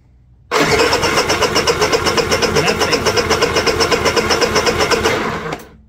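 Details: Honda EU3000is generator that pull-starts but won't start on the electric starter, spark checker fitted: starter cranks evenly, about four compressions a second for five seconds, never fires; battery ruled out, no spark.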